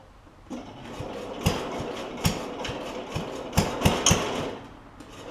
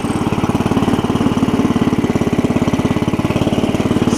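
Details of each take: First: Cub Cadet 70 garden tractor, engine running while trying to engage the mower deck PTO clutch: uneven sharp clacks, roughly four a second; PTO clutch tries but fails to engage, owner thinks it is stuck or possibly adjusted backwards. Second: Cub Cadet 70 garden tractor after drive repair, pulling away in first gear (clutch pedal previously had to be held down): steady, rapid single-cylinder chug holding an even pace; engine and drive sound healthy, normal running under drive.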